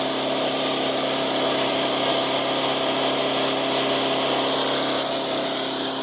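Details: Resurrected direct-drive wood chipper, 90s engine with adapted 50s carburetor, warmed up: loud, steady buzzing, constant pitch, no surging or misfires; runs well but owner couldn't make it quieter.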